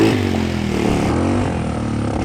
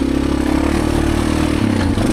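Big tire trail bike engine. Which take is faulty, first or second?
first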